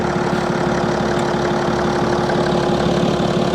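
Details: BMW TwinPower diesel at a Copart auction, with no dash warnings and no service required: steady, even diesel clatter at idle with no misses, knocks or hunting. The engine is running healthy.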